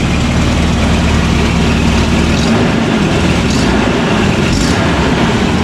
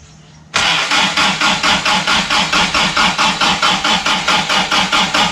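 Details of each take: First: Toyota RA40 with 22RE engine, cold, after cold start injector wiring fix: steady, even low rumble with no misses or stumbles, loud ticking from known exhaust leak. Normal smooth idle. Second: Toyota RA40 with 22RE engine on a frosty morning, after replacing parts: starter cranks steadily about two turns a second but the engine never catches; cold start injector not receiving power from its sensor.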